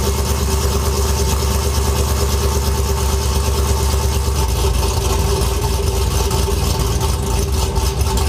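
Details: Truck with 5.3 L83 V8 fitted with an L86 6.2 intake, recorded at the muffler: steady low rumble with a constant, even beat and no stumble or ticking; healthy idle.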